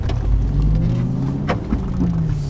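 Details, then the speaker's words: Audi RS4 after a new clutch switch replaced a worn one that made the revs hang on gear changes: engine blips up and drops straight back to a steady idle without hanging; normal rev return. "that sounded good let's have a look i like the look on your face did that face again that was a that's a lot lot better"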